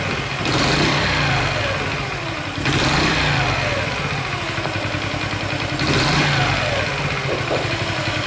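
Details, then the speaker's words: Honda Chaly engine after cam chain tensioner check and reassembly, three throttle blips: dry metallic rattle rides on the revs and fades back to idle, unchanged; source unknown, owner suspects cylinder head, to be removed next. "Still makes the same strange noise. Where is the noise coming from?"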